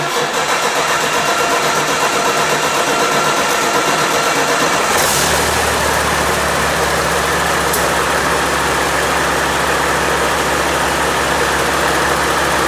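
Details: Freshly overhauled Caterpillar C-15 diesel on its first start: about five seconds of cranking, then it catches and settles into a steady, even idle. Oil pressure is good, with no vibrations or odd noises; a normal start.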